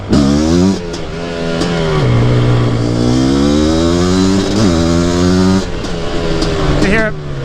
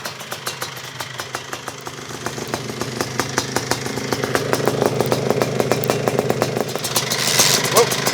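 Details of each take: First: Mostly stock Suzuki QuadZilla LT500R two-stroke after rejetting (PWK-style carb), warmed up, first ride; deep tone revving through gears, breaks up slightly near top rpm, suspected still a little rich though it pulls well: misfire at high rpm. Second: Suzuki QuadZilla LT500R two-stroke quad, carb swapped for a 40 mm Keihin, now easier to start: crisp, rapid popping at idle holding steady and even, rising slightly midway; idles cleanly and sounds healthy.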